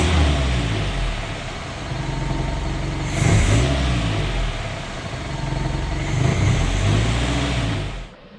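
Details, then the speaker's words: Newly installed engine, just assembled and not yet driven, starts up nicely and revs smoothly; idle and noises settled as it warmed up and began breaking in; exhaust hanger at transmission fitted cured an earlier noise. "It started up really nice. The idle, the noises, everything kind of kicked down as it warmed up and started to break itself in, so that's great."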